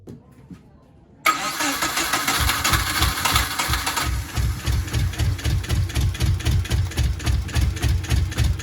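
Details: Subaru GC8 with EJ207 STi shortblock, first start after injector install: catches after short crank, then lumpy, loping idle pulsing about three times a second; one bank never fires.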